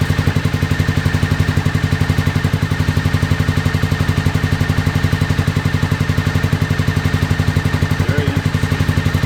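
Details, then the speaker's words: 2001 Honda VFR Interceptor just revived after nearly a decade in a barn, old fuel, jump box; owner suspects mouse nests. Uneven lumpy chuffing around four per second: misfire, too few cylinders. "it'll only do that at Full Throttle man but it's running"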